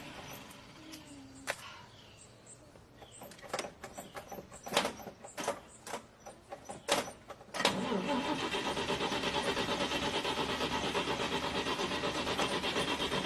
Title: When your car won't start